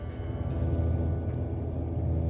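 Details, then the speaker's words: Car turning left produces a deep, steady rumble with nothing sharper on top; the customer also reports the steering wheel sometimes shakes violently. The source is unknown, so the wheel end should be checked. "Customer states they have had a bad rumble noise whenever they turn left and that the steering wheel sometimes shakes violently."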